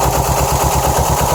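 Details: 2007 Subaru STI at idle: uneven, lumpy idle with a loping low thump about six times a second; passenger-side AVCS check screw found shredded, probably blocking the solenoid and starving cylinders 1 and 3 of oil, issues persisting.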